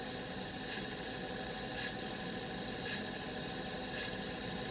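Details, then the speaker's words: M9-1500 weld head, motor running during calibration after damaged gears and a worn pinion were found: a thin, steady high-pitched whine over the motor hum from the planetary gears; it still runs, but the noise will grow louder over time. "issue right there. It definitely has to do with the planetary gears inside the motor. The wellhead will continue to run just fine. The only thing is that noise is going to continue to get a little bit louder as time goes on."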